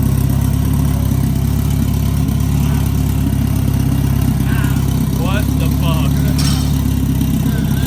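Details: Big-turbo Honda F20B EG hatch freshly started after new TPS, throttle body and intercooler pipe refitted; strong even exhaust drone, steady, no knocks, ticks or misses; sounds good, healthy running engine.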